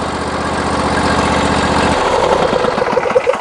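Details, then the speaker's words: John Deere 22 hp riding mower, brake pedal pressed: even cranking about two seconds, fires promptly and settles into a steady run, as it always starts. Normal start and idle. "There we go. That's the way this thing always starts."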